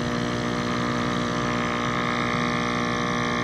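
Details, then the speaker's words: Active Aqua hydroponics air pump after internal fix and zip-tie repair, on low setting; steady even hum with light buzzing flutter, no rattle or knock, running smoothly and quietly. "now it's on low you can barely hear it"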